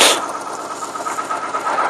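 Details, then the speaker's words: 1995 Geo Metro engine vibrating violently and nearly stalling under load: unplugging cylinder number one leaves the lumpy, uneven, stumbling idle unchanged, so that cylinder is dead; owner suspects low or no compression, blown head gasket or valve problem. "you unplug the number one and it keeps on running as a matter of fact I'm not sure if you can hear it but it keeps on running as if it never even needed it as if it made no difference whatsoever"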